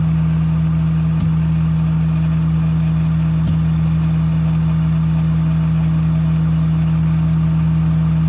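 Steady low engine idle with an occasional faint tap or stumble breaking in at irregular moments. Cause suspected, not confirmed.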